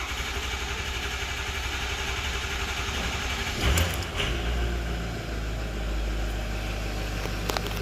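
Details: 2006 Ford 6.0 Powerstroke diesel, 139,000 miles, after crank-no-start high-pressure oil testing: long crank, then catches and settles into low steady idle, no misses; injection pressure about 1100; normal start and idle.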